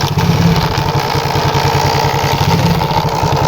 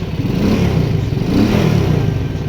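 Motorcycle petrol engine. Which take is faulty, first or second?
first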